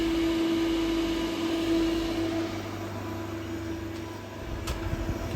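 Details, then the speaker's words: Refrigeration unit previously with fans running but compressor not, after neutral to back fan motor reconnected: steady compressor hum under smooth even fan whoosh, fan turning correct direction, no knocks or rattles; running normally. "the fan motor's running nicely in the right direction. Compressor is running."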